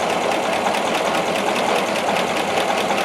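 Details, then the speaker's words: 1936 Buick Special Series 40, 93 HP 233 cubic inch low-compression engine with simple carburetor setup: soft, even, surprisingly quiet idle with light ticking over a hum, no knock or stumble; healthy. "carburetor pretty simple setup air cleaner is different than the one that we have on it uh but this one works for us so we just left it work and it's surprisingly quiet I think"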